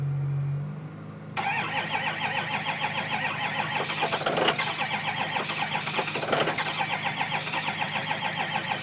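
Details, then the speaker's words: 2005 Ford Powerstroke 6.0L diesel, cold start after about 5 hours plugged in (block heater breaker blew): steady even cranking for about eight seconds with a few flares but it never fires; hard start, cranks without catching, low battery suspected. "Anyways, let her charge for a second and then I'll give her another go. Try again. No go. Let's try this again."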